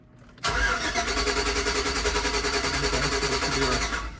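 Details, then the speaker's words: 2006 Chevy Tahoe 5.3 LS cranking while a scanner shows no signal from the cam position sensor. Starter spins about three and a half turns a second for four seconds without firing: no-start traced to a faulty cam sensor. "crank signal not showing anything no not showing off from cam position sensor"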